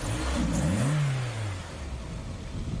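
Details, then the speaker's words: After an engine flush and a change to fully synthetic high-performance oil (10W60/10W50/15W50) replacing the wrong oil, the engine revs up smoothly and falls back to idle. No more lifter tick; valvetrain quiet. "no more uh tick tick tick tick tick tick tick yeah that is so oh I'm so happy that's great"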